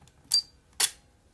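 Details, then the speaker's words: Fujica Auto 7 camera after repair of corroded capacitor and broken traces (water ingress suspected): two sharp clicks half a second apart as shutter and flash fire cleanly; camera now working normally. "and if we turn the flash on you may hear the the whine of the flash charge and should be charged enough to get a flash out of it"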